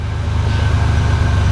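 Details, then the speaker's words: Buick National (G-body) after swapping the failing PowerMaster for a vacuum brake booster, brake pedal pumped repeatedly: steady, even idle with a deep low hum that does not sag or stall from vacuum loss. "you hit it a bunch of times and it doesn't want to stall the motor due to vacuum loss"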